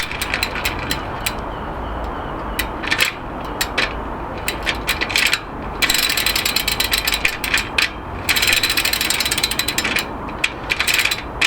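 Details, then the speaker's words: Sturmey Archer FW 4-speed rear hub on a rebuilt Moulton wheel, spun by hand and only finger-tightened: rapid dry ratcheting clicks and rough gritty bursts; hub notchy inside, needs stripping to find cause. "notchy too that sounds horrible actually and that's not even tight and that's just finger tightened right"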